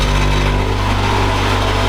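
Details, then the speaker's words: Honda Integra idling with aftermarket twin-loop muffler: harsh metallic buzzing rattle that stops when the muffler is held by hand; broken muffler joint needing welding. Exhaust muffler rattle at idle. "So if I put my hand and hold it, you'll notice the rattling disappears. And then I let go and it's back. As you can see, that is absolutely rooted and needs to be welded back on."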